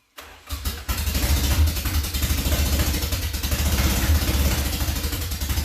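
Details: Nissan Silvia after flooded cylinders were found on all four and the spark plugs were dried. Rough, loud start that keeps firing unevenly and needs some throttle to stay running; cause unclear.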